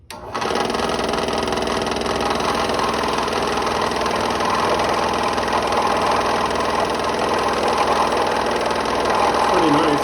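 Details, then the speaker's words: Restored 30-year-old Delta P-20 scroll saw, sitting unmounted on cardboard, cutting: steady fast buzzing chatter at even pitch through the cut, no knocks or grinding; cuts smoothly and keeps a line, though it pushes back a lot. "it smooth keeps a nice line let's make a sharp turn nice there doesn't snap back"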